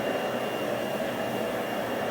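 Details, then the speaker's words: Mermak Probotsan CNC Multimax router's blower-type vacuum pump running: steady, loud rushing hiss with a faint high whistle, no speed change; owner thinks standard vacuum motors run quieter; loud vacuum blower noise. "bu makinenin vakum pompası yani Blow gürültülü çalışıyor sanırım standart vakum motorları daha sessiz çalışıyorlar şöyle açmak gerekirse bu ses sadece vakum e pompasından çıkan ses"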